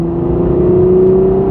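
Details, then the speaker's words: 1988 Chevy Cavalier Z24 accelerating to 70 mph: steady engine drone with smooth, even rising whine under throttle, no flare or slip; shifts like butter, normal healthy acceleration. "not bad not bad at all there's 70 it shifts like butter"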